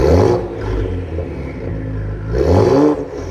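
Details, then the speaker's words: 2020 Ford Explorer ST exhaust right after replacing the failed flex pipe, WD-40 in pipes causing smoke; deep, raspy, rowdy note rising cleanly on two quick revs and settling to steady idle, no rattle; healthy exhaust. "Sprayed a bunch of WD-40 in the pipes just to help slip them on. Sounds good, rowdy."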